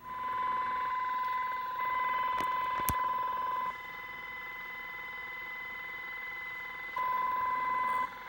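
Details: Interference on the 27.395 MHz CB channel, heard on several radios: steady shrill tone near 1 kHz stepping to a higher pitch in long on-off blocks over receiver hiss; source unidentified, later moved up through 27.405–27.435.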